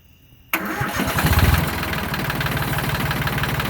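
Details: 1979–1981 Yanmar YM1610 diesel tractor, first start after over ten years sitting: cranks and catches at once, then settles into a steady, even chug of about four beats a second; normal start and idle.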